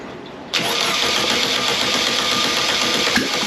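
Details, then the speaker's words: Air-cooled 1600cc VW Beetle engine (candidate for a 1974 VW bus), long-stored in a hot garage, second start attempt revved from the carburettor: it catches after a cranking lull and runs rough and uneven; fuel starvation, running only on the accelerator pump. "yeah so we're definitely only running off of our accelerator pump which for some reason works"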